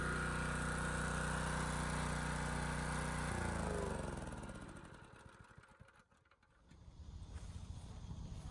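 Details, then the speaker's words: Honda EG2200X generator, early-to-mid 1990s: smooth steady no-load hum with no surging or misfire, then shut off and spins down. "it solved the issue it's running pretty much perfectly under no-load now"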